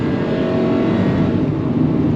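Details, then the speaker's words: 2000 Honda Civic 1.6 L 4-cylinder, 219,049 miles, after tune-up fixing misfires (P0300-P0304) and rough running: full-throttle uphill pull at maximum load, dense even roar with no stumbling or popping; healthy acceleration, no misfire. "beautiful. Runs just like a Honda 1.6 liter should."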